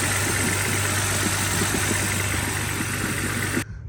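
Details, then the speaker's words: BMW 325i E90 N52, first start after replacing numerous parts for rough idle: lumpy, uneven idle with irregular low thumps and stumbles, worse than before; misfire, cause unknown. "Now let's start the car and see if we have any leaks and if everything's working okay and so on. Okay. Oh gosh, the car is idling very bad."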